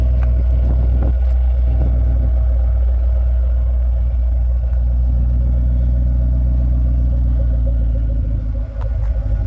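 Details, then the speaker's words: 2009 Mustang GT 4.6 V8, 98,901 miles, new cams about 500 miles in, heard in the engine bay: deep, even idle rumble with no lifter tap, only loud injectors ticking; sounds like a fresh engine. "here's the engine bay which is I can hear there's no more lifter tap all you hear is just the uh injectors the loud injectors on these"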